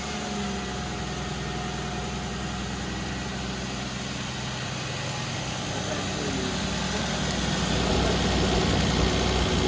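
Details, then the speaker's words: 1992 Toyota Supra MK3 turbo, automatic, about 300K, after sitting over 20 years, started after priming and fixing leaky hoses. Steady, even, smooth low idle with no miss or tick and no leaks seen; normal idle. "I don't see any dripping underneath um it's actually running really smooth"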